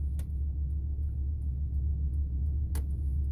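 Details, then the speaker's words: Ford F350 (F250/F350 multi-switch): flasher relay behind the dash ticks nonstop once or twice a second over idling rumble, stops when brake pressed; replacing relay didn't fix it, cause faulty turn signal multi-switch. "It sounds just like the blinker switch is going off, but it always stays on. Now if you press on the brake, it stops."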